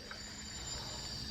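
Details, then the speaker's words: Nissan R32 after a new turbo install, boost leak test with a homemade tester: a constant airy hiss over a quiet engine. Blow-off valve thought stuck open and permanently leaking boost; a split vacuum line was also found. "so that blow-off valve I think is stuck open it's like permanently leaking you guys can hear it"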